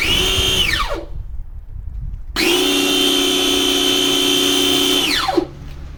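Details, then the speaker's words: Draper pressure washer after welding pinion back onto motor shaft: motor whines to high steady pitch with no load change, then winds down; weld failed, too shallow, pinion spinning free on shaft. "Right. Okay. Set back again. The weld did not hold. Uh the weld didn't penetrate deep enough."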